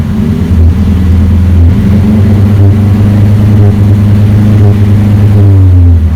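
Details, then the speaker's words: Saab 9-3 with an aftermarket knock-off rev-limit box switched on, set to cut at 3000 rpm: a lumpy, uneven low drone with irregular pulsing, feeling like it runs on three cylinders; misfire suspected from the box. "uh this did something to my car it feels like it's running on three cylinders right now"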